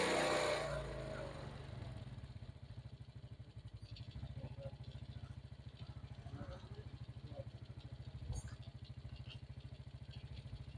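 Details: Suzuki Smash that had carburetor stumbling (brebet) on throttle, now after idle adjustment, carb filter not yet fitted. A steady, even single-cylinder idle with no stumbling; throttle responsive, no more choking. Normal idle.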